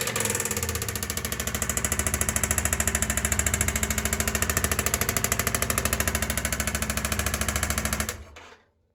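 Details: Yamaha XV 535 Virago V-twin at idle: fast, even clatter of about three raps a second over the idle, stopping when the engine cuts; strong engine rattle, source unclear.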